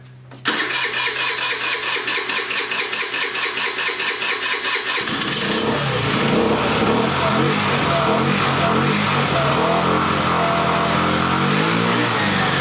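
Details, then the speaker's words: Jin Lun 50cc two-stroke scooter after its carburetor was cleaned of a stuck needle and float valve and suspected water: about five seconds of even cranking, then it catches and buzzes raggedly. It is hard to start, with the air cleaner wet and flooding suspected. "I'm having a little trouble getting it started. It's acting kind of funny. It just doesn't want to pop off."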